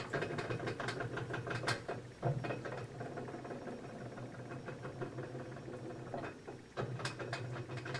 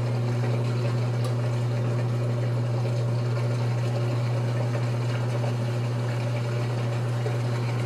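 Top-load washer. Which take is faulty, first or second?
first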